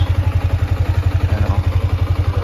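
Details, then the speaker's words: Yamaha Sniper 155 after 4 months of use, odometer 2,336 km, freshly cleaned and still smoking: even, steady thumping idle with light ticking on top, called normal; ticking quiets somewhat when the clutch is pulled. "Yan yung tunog niya mga boss, 4 months yan. Normal lang yan mga boss kapag may naglalagitik. Yan, normal lang yan."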